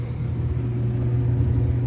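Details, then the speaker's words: Samsung DV42H5600EP electric dryer after rebuild kit (belt, pulley, drum rollers, felt seal): steady even low drum rumble with no knocking, squealing or scraping; most or all noise gone. "Most of the noise seems to be gone, if not all of [Music] it. Definitely way better than it was."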